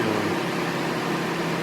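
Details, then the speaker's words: Mini after head gasket and timing chain work, which throws P0128 (coolant temperature too low); radiator fan runs flat out from startup and for about 10 minutes after shutoff, a steady, even whooshing whir, cause not yet found. "a damn fan just runs from the moment you start it up for about 10 minutes after you shut it off it doesn't matter how long you have it"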